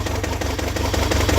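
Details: Toyota 22RET four-cylinder petrol engine finally running but idling with a lumpy, uneven beat from a misfire on cylinder 2, which is sparking; pulling plug wires showed no change on number 2.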